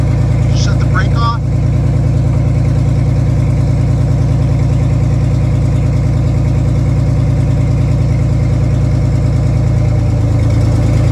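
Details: Detroit Diesel 6-71 two-stroke in a vintage GM bus, idling with the old restrictive exhaust removed and no exhaust fitted: loud, raw barking idle with rapid even pulse and no muffling, open exhaust.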